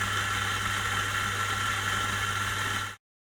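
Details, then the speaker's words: Eureka Mignon Oro Single Dose coffee grinder, factory replacement unit, grinding beans, recorded with Zoom H5 about 10 inches away, no processing; even steady motor whir and smooth grinding rush, no knocks, much quieter than before, like any Mignon. "So the Eureka is vastly improved in this regard. It sounds like any other Mignon series grinder."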